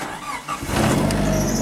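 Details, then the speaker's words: Nissan S13 CA18DET after swapping to VW TSI ignition coils and reworking the harness, car unused for a long time: brief crank, fires right away on a cold engine, better than the stock coils; settles into a firm, steady run. "fired right away these coils were a very good idea fired worse on serial now on a cold engine right away and runs good"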